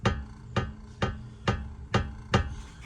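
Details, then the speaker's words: 2005 Mercedes S500 4matic W220 on a jack with the front suspension rocked by hand: six deep, evenly spaced clunks, the same clunk heard over bumps, caused by a worn lower control arm ball joint. "So that is the cause, guys. Lower control arm ball joint is worn out. So that's what's causing all of this noise."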